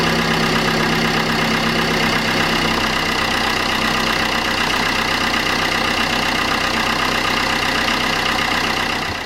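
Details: Vauxhall Corsa C 1.3 CDTI diesel after a full service: oil and oil filter, fuel filter, cleaned intake, and a new gasket on the intercooler pipe. Loud, steady diesel clatter at an even idle with no misses or knocks; normal idle.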